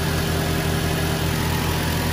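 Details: Smooth, even idle with a steady low hum and no knocks or misses from a 2005 Daihatsu Xenia Xi 1.3 manual (non VVT-i), 190,000 km. The radiator fan runs strongly in the background, the only extra sound with AC on. Healthy engine, normal idle.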